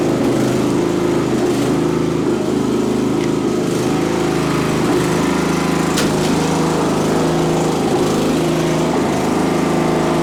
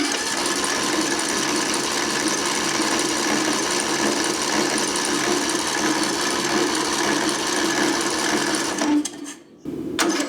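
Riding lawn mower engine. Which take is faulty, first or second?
second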